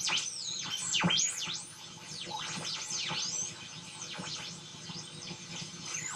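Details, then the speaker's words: Homebrew FET-based AM radio tuner with a harvested tuning capacitor and coil, a long wire antenna and a sliding ferrite rod: warbling whistles swoop up and down in pitch as it is tuned, and stations are barely audible. The receiver oscillates instead of pulling in stations. "but what do i do about all this whistling noises that it's making and this project is pretty much grounded until i can get that sorted out"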